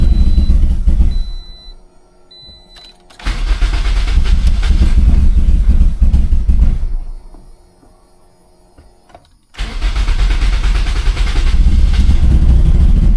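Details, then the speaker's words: Turbo Toyota Corolla after fuel pump priming: repeated long cranking bursts that nearly catch, then fade between tries; it cranks but won't start or stay running, with no check engine light and the owner suspects very little fuel. "Like, it sounds like it's like so close to starting and then it just doesn't want to start."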